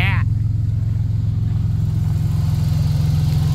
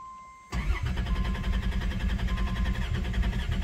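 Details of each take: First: 1990 Dodge Grand Caravan LE, exhaust open, fuel nearly out: a loud, even burble at about three pulses a second with no misses; no fuel leaks, engine runs smoothly. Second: 1990 Dodge Grand Caravan LE, first start after two months sitting and reassembly with the fuel tank refitted, no fuel gauge reading: the starter churns about seven seconds without catching; long crank, tank nearly out of fuel.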